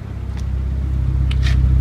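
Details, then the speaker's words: 1996 Mitsubishi Lancer Evolution IV GSR RallyArt Edition (JDM, right-hand drive) at idle, recorded at the rear: deep, steady low rumble from the original RallyArt muffler with a few light clicks on top. Normal, healthy exhaust note. "very nice deep sounding Muffler the muffler is actually original it actually has rally art embroidered in the side here"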